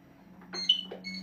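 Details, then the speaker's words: NxStage home hemodialysis machine: over a steady low hum, a single short high beep sounds as the red sensor is switched on and its red light comes on; normal power-on beep. "it beeps as you can see the red light hold it down till you have a red light push it in"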